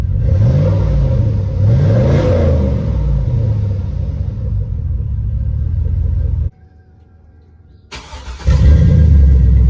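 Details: Cadillac truck that sat unused over 4 years, first start after fresh oil and filter, new coolant, old gas siphoned and replaced with new 91, new battery: engine catches, settles into steady low rumble with a few smooth revs, no knocks or misses; normal running.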